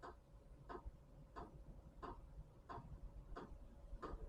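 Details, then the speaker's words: Chinese diesel heater on first start-up, pump frequency around 4.9–5.1 Hz: light, even ticks about 1.5 per second over a quiet rumble. The fuel dosing pump is probably priming the fuel lines. "as a truck driver I'm well used to that ticking so because this is the first time it's probably priming the fuel lines right now so it'll take a little while"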